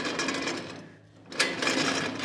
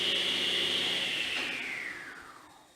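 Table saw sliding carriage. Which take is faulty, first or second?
first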